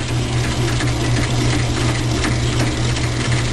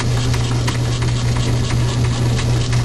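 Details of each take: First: Logan lathe turning medium carbon steel from a railroad spike: constant rough, ratcheting gear chatter steady with spindle speed. The change-gear idler seizes on its shaft because the keyway gouges the brass bushing; fixed by modifying the half key. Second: Logan lathe turning a medium-carbon steel railroad spike in back gear, after the seized change-gear idler was freed and a half key modified: even low hum with a steady faint tick at higher spindle speed, no grinding; gears run quieter and truer.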